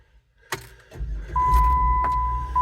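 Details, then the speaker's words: 2007 Jeep Wrangler JKU that won't start unless both front seats are occupied. With six weights (120-150 lb) on the seat: a short crank with the door chime pinging, then it starts and holds a steady idle; AC and radio working. "starts and runs AC [Music] on radio comes on everything's working"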